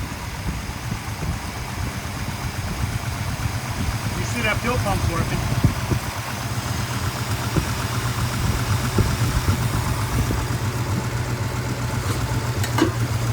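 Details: 1962 Dodge Custom 880, said to have a cracked block, running after carburetor prime: low, even rumble, steady firing, no knocks or misses; engine runs really good and no longer smokes, owner doubts the block is cracked.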